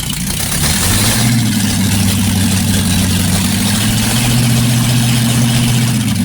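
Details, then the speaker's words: Freshly rebuilt 1960s Chevy 327 V8 with a new cam still needing break-in, timing not adjusted: deep, steady, even burble at constant speed with no knocks or ticks; good oil pressure, healthy idle. "All right. Like you can see, our wonderful friend, Mr. Div's engine is running. Oil pressure. Everything's perfect. Engine sounds good."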